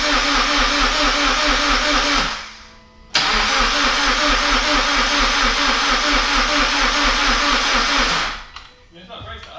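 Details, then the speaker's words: Toyota GT86 after forged engine internals rebuild and reinstallation, first start attempt: starter spins the engine at a steady, even rhythm for several seconds, stops, cranks again and never catches; no fuel or no spark suspected. "you see they're not getting fuel or not getting spark cuz it's cranking over fine"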